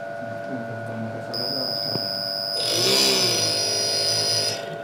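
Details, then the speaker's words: AC inverter compressor on test bench with faulty PCB, blower motor running: compressor tries to start, high electronic whine over fan hum for about two seconds, then stops; cuts out after start due to board fault, before repair. "अभी ये compressor ने start होने का try किया, but ये कुछ second चल के बंद हो गया है।"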